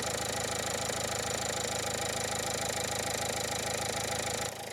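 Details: 2015 Dacia Logan MCV at idle before adding hydraulic lifter additive: a fast, fairly even light tick, about three per second, rides above the engine note; lifter tick.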